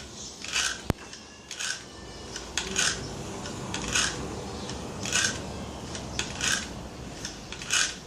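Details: Gamo CFX Royal air rifle: harsh metallic scrape repeating with each stroke as the barrel is broken open to cock; came in with this noise, something rubbing inside, cause not yet found.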